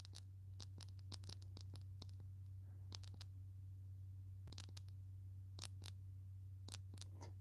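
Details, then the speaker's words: Burnt-out work light, overheated after being left on face down when its proximity sensor did not turn on: a low electrical hum with irregular sharp crackling pops, like internal arcing. The light also smokes. "It almost sounds like little arcing going on in there. It's kind of scary. So, this light makes crazy noises now and um smokes a little bit,"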